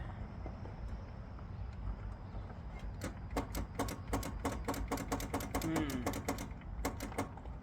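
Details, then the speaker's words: John Deere GT262 garden tractor, sat many years, on jump box: rapid burst of sharp clicks, several each second, solenoid engaging but no cranking; starter issue, not battery. "That's a starter issue. That's a starter issue, not a battery issue."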